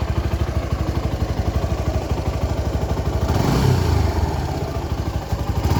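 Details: Suzuki Gixxer SF 250 single-cylinder after an engine oil flush and new oil and filter: even firing pulses at idle, then a clean smooth rise in revs, no knocks or rattles; healthy.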